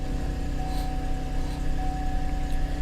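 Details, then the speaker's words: Auction car listed as a no-start: it starts right up and idles with a steady, even low hum and constant tone, no misses or knocks. Oil pressure reads 70. "Looks like everything is lit up. Everything comes to life. It starts right up."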